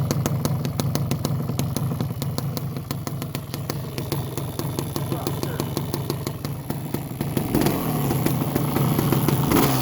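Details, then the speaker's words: Suzuki LT250 Quadracer two-stroke ATV, bought after sitting outside under a tarp for years, recently run: crisp, even crackle that settles then picks up with throttle, no misfire or knock; runs healthy. "it does run I will start it up here in a second I just had it running so it should fire up pretty easy"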